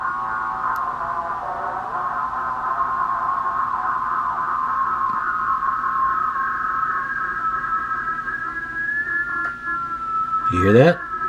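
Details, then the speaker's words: Uniden MB8719 SSB CB upper sideband transmit offset, initially far off and then adjusted, monitored on a second SSB radio: steady tone slides and settles into a slow, even beat at zero beat, now on frequency. "That's the 0 beat. Let's get some light in here. I'll get it off the 0 beat and back."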